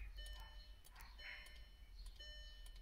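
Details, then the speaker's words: VW Eos with a non-working convertible roof, windows stuck down: faint, irregular light clicks over a quiet background when the roof control is pulled, after an over-temperature warning; clicking from the roof mechanism rear area, owner suspects the motor, cause unconfirmed. "i don't know if you can hear that well i guess we're back to over temperature um yeah oh yeah now it's clicking"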